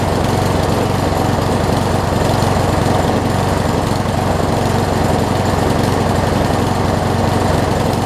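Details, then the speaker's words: Craftsman self-propelled push mower engine after flywheel key and carburetor replacement: uneven, stumbling chug with skipped firing; engine smokes slightly, owner suspects bad rings or engine wear and plans to try a different spark plug. Engine miss. "Almost sounds like it's missing. I'm going to try putting a different plug in before I do anything else."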